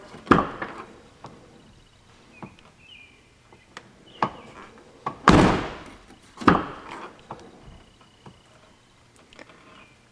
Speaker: Pretty silent. I think I might hear it a little bit, but no big deal. It ain't snapping.